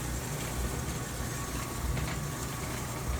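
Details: GE GTDP300EM1WS dryer after replacing the broken drive belt (WE12M29), test run: low, steady drum rumble with no scraping or squeal; normal dryer drum running.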